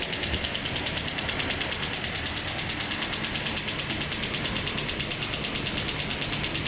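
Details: Toyota 2TR-FE engine being run in after overhaul: steady, even idle with light regular ticking about three per second, no knocks or irregular beats; normal idle.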